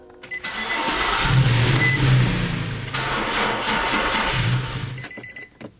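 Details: New battery, before trickle charging: starter turns the engine over about a second and it catches into a steady run for several seconds; starts without hesitation, quicker than the slow starting of the previous month.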